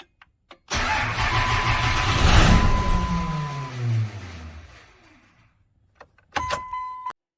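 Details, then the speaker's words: 1998 Dodge Ram 2500, 12-valve Cummins with P-pump, 687,000 km, neglected, cold start at about 0 °C in the shop: long cranking, then the diesel fires with heavy clatter, revs briefly and dies down. Hard to start. "but right now it doesn't even really want to start mind you it's about zero in the shop and this thing hasn't been touched in forever"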